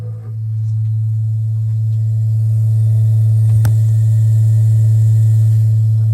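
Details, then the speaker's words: Gas-fired water heater rumbling and moaning from the tank, not the flame, while the burner fires: deep loud steady drone with a brief clunk midway; rotted exhaust found, hot air drafting back into the residence, heater needs replacement. "never heard a gas-fired water heater make this sound before"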